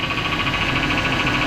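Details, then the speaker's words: 2005 Chevrolet Silverado 1500 5.3L V8 at idle: a grumbling whine with a faint pulsing high tone from the power steering pump, whose reservoir is empty from a leak. "Kind of sounds like the power steering pump. Going to make that sound? Yes. And then it went away. Okay. Yeah, power steering pump's a little loud. Oh, cuz it leaks."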